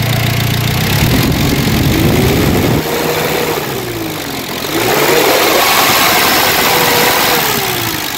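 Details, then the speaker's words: Car engine idling after the owner's fix for previous overheating: radiator cooling fan blows very strongly, a steady whoosh rising and falling smoothly over an even idle; fan working normally. "So ang kanyang fan ito, napakalakas ng hangin, ha, ngayon. At pakinggan ninyo, ha."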